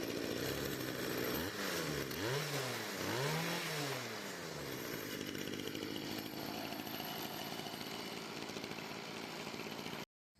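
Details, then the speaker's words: Stihl FS55 RC string trimmer after a new ignition coil gapped at 0.38 mm, a new carburetor and retuning: small two-stroke buzz revs up and down, then holds a steady, clean high idle with no misses; runs normally. "But yeah, now it runs flawlessly."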